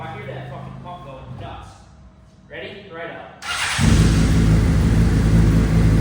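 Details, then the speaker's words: Abandoned Honda CBR600RR inline-four first start after fuel pump reconnected: cranks a few seconds, catches, settles into a strong, steady idle with crisp, rowdy revs; runs clean. "Yeah, buddy. Yeah, baby. This thing sounds so rowdy."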